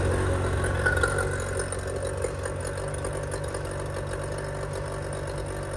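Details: 25hp Mercury outboard after carb rebuild (junk in carburetor), new fuel pump parts and spark plugs, running on the shop tank: a steady, even low idle with no stumbles or misses. It sounds healthy.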